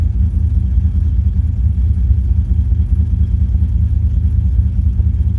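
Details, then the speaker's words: 2005 Chevrolet Silverado 6.0 LS with Madd Maxx cam, longtubes and base tune, at startup: deep idle with an uneven, lumpy beat and irregular stumbles. Misfires with maxed fuel trims; suspected two failed ignition coils. "I'm maxing out the trims, which could just be two coils that failed."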